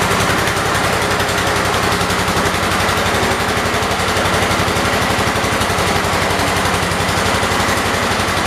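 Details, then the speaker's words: 1978 Kohler K341 single-cylinder in a 316 tractor, first run after a rebuild with new rings: a quick, even thumping at steady speed with no knock or misfire; initial smoke burned off; runs healthy. "nope really sounds healthy i mean it really sounds good"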